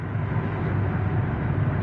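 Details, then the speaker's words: 2023 Toyota Avanza road test after transmission repair for a loud hum when releasing the accelerator: steady low road rumble on coast with no gear howl or whine; the noise is gone and the transaxle sounds normal. "Subukan nating bitawan yung accelerator kung nandon pa rin yung ugong no. So ayan. So okay na. Wala na yung ingay guys."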